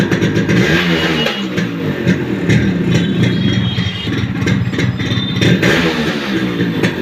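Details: Yamaha RX 100 two-stroke, old model, with a starting problem and lost original sound, before a full rebuild: rough, clattery, uneven revving note; noise present, cylinder, piston and reed valve to be opened, cause not yet found.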